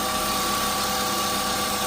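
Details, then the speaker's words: BMW E36 328i at idle: steady high constant whine from a brand-new remanufactured power steering pump that is still noisy; cause not confirmed, owner plans to fit a low-mileage genuine pump and flush the system. "So, I think there will be a little bit of improvement in the handling. You can hear that my power steering pump is a little bit noisy."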